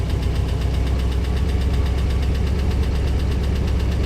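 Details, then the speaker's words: 1966 Ford Thunderbird V8, revived after sitting years, idling after oil change to 20W-50 with much better oil pressure: deep heavy idle with faint quick steady ticking on top — lifter tick persists, lifter not coming around. "Let's see if that lifter tick goes away. All right, let's see if that lifter is going to come around or not. Unfortunately, I don't think so."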